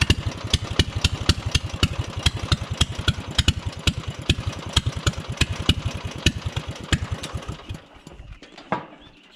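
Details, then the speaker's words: Drag-race lawnmower small single-cylinder engine on its first start: steady fast popping that fades and dies after about eight seconds once unchoked. It only runs on choke, and a fuel filter is possibly to blame. "whoa all right she runs on choke only all right guys so you just saw she fired the first time she does not run without the choke on so that's something i'm gonna have to fine tune"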